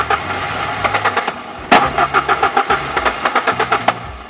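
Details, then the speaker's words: 1996 Mazda B2300 that sat 15 years, first start attempt with starting fluid, rhythmic cranking at five to six strokes a second interrupted by two sharp backfire pops; backfire during cranking. "Oh, she's already backfiring. Don't give her too much."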